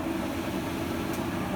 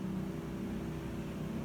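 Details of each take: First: Whirlpool washer that would not spin, after recalibration and replacing the faulty rear switch: drum spins at steady speed with even hum, no knocks or scraping; spinning normally with full strength. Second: Whirlpool top-load washer that won't spin, even after recalibration: only a steady low drain-pump hum in drain/spin mode with no drum movement; fault traced to the lid/tub safety switch.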